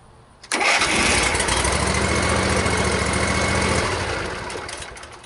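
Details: Zero-turn riding mower engine catches at once and settles into a steady even run after replacing the starter solenoid that had been clicking without starting.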